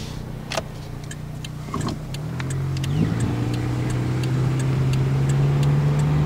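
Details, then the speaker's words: 1999 Toyota Corolla 1.8 on a test drive after fixing the power steering pump pulley that caused knocking: smooth, even engine hum rising as the car pulls away, no knock when stopping; repair fixed the issue. "yeah usually by now after you drive it for so long you start to actually hear the uh the knocking when you come to a stop so yeah I definitely think that that that definitely fixed the uh [Applause] issue"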